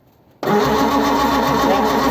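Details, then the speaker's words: 1955 Ford Zephyr, 46 years off road, after checking spark and spraying starter fluid: short crank, then catches and runs roughly for a couple of seconds; firing but not yet running cleanly. "oh good well that sounded a bit better now"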